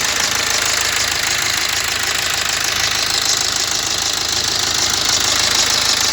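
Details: BMW X1 diesel with push-button start, at idle: a steady ticking rattle about twice a second over a hissy idle, from a worn crankshaft damper pulley that needs replacing.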